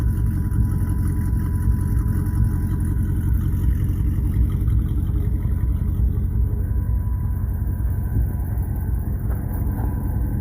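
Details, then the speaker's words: 1934 Plymouth coupe, build just finished (a 6.4 Hemi is planned for later install): deep, even rumble with steady firing and smooth revs, no knocks or misses; healthy running engine. "Sounds good, too, and it runs really well."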